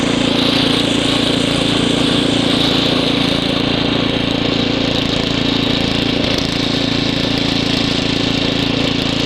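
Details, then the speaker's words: Ariens ST724 snow blower clearing snow, rebuilt carburetor, new fuel lines and impeller bearing; microphone apparently clipped in hood, likely exaggerating noise. Steady, even chugging beat under load, no misses; normal running under load. "but the snowblower runs really good, nice quiet, runs fine, snow blows good, as you see in the video."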